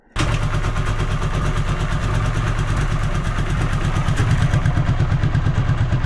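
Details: Honda GL500/CX500 on stand, rear wheel unloaded: lumpy twin idle with loose rhythmic driveline clatter, suspected drive shaft wobble; found normal shaft drive noise when unloaded.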